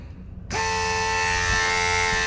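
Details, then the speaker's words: Ford Falcon AU XR8 brake vacuum booster with added electric vacuum pump, tested off the car before fitting: pump switches on when brake pedal pressed, steady even electric hum with bright tonal whine; running normally, as it should. "and this one when you step on the brake and it will read you the pump and this is how it should work okay"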